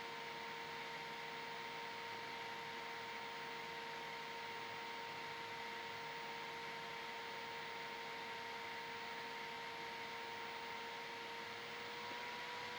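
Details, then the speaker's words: Zhiyun Fiveray M40 LED light at 100% power, 40 W; cooling fan at its loudest, steady airy rush and mid-pitched whine; normal cooling fan at maximum speed. "Now it ramped up. Now it's going even faster. Maybe you can hear it. Now it's going faster. Another ramp up. Another one. It's even louder now."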